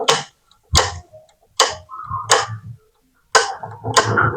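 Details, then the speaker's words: Gas stove burner after cleaning dirt and oil from the igniter, which had made it hard or impossible to light: sharp clicks about every second, each followed by a soft rush of flame catching; it now lights properly. "Ini sudah bisa nyala ya. Karena di sini di bagian pematik atau magnetnya ya pen kotoran dan minyak yang nempel di sini di pojok sini."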